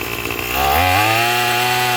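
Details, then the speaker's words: Craftsman 27 cc two-stroke string trimmer, made January 2013: buzzy engine climbs cleanly to full speed and holds a steady, even high note under load; sounds pretty good, though it is smoking. "sounds pretty good."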